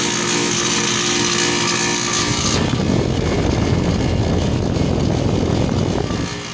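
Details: Loud, harsh rattling roar that turns rougher and deeper partway through; sounds like a failing compressor, but the cause is suspected, not confirmed.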